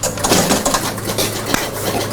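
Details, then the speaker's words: 1977 Gottlieb Bronco electromechanical pinball, after work on AX and BX relays, gives quick irregular relay clacks and stepping clicks through the cabinet on credit and start; normal reset sequence running, though score reels seem gummed up. "so it's going through its thing don't tell me I fixed it that easily"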